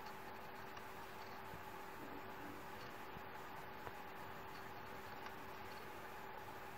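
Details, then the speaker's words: Toshiba C855 laptop, slow Windows, phone moved around near the drive: faint steady hum with small irregular repeating clicks; failing hard drive that may completely fail without warning, data should be copied off first. "hopefully you could hear that click as you can see we still don't have that properties showing up in a situation like this your best bet is try to copy all your data on an external drive starting with the most critical stuff because the hard drive like this might completely fail without any other warning"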